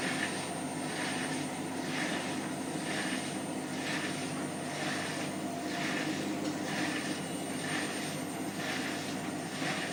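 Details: Hotpoint washing machine on spin on the 30 setting: a soft scraping swish and squeak repeats about once a second with each drum turn, a rub of unknown origin.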